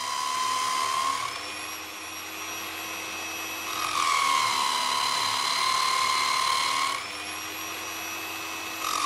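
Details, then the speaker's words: Normal motor under load: a Nirey KE280 belt knife sharpener with a knife drawn about 3 seconds per stroke under firm pressure gives a steady high whine that deepens slightly with each stroke but holds speed. "Listen to the noise of the motor. It is clearly under load but not slowing its rotation speed."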